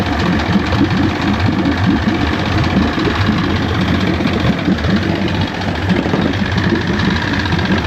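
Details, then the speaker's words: 1973 Johnson 65hp outboard (65ELS73R) idling after years of sitting. Idle is loud and lumpy, smoky, with a steady churning, pump-like drone underneath. The cause is unclear. Pump-like noise at idle. "Kind of sounds like a pump."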